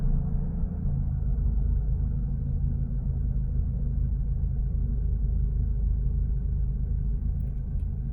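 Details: 2001 Mercedes SLK 170 after fixing P202C-8 no-crank no-start by fitting a matching used ECU, DAS module and ignition key set: engine starts and holds a steady, even low rumble with no misses, knocks or rattles, a smooth healthy idle.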